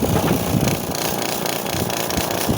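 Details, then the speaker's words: AirSep Intensity 10 oxygen concentrator compressor, unit disassembled, tank lines disconnected, air outlet blocked: uneven rapid thumping under the steady hum with a hissy top end. Internal knocking in the compressor, cause under investigation. "vamos a tapar el aire y empieza el oído acá no aquí acá el golpeteo aquí hay algo dentro"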